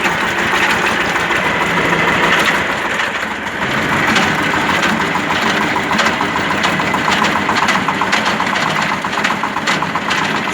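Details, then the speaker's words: Tractor idling with PTO engaged: steady run of sharp, evenly spaced knocks over the engine note, coming from the gearbox, not the belts; the cardan shaft turns freely by hand. Gearbox knock when the PTO is engaged. "Ось ось, слухайте. І це не від ремнів іде. Я до ремнів підходив, ремні зовсім не так б'ють. І вони не б'ють. Це іменно в коробці"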